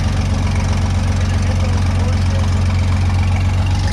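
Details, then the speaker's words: Late-1940s/early-1950s Scoopmobile LD5P articulating loader, Chrysler gas engine, first start after at least 15 years sitting; deep, steady idle with even firing and no knocks or misses; runs surprisingly well, normal idle. "Man, I can't believe how good that runs."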